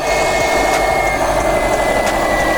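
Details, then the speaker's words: Subaru Baja Turbo first start on rebuilt engine after priming, heater on, bleeding coolant, no check engine lights: steady even idle with constant hum and faint high whine, no knocks or misses; normal idle. "Let's see if it's gonna start. Yes! It sounds great."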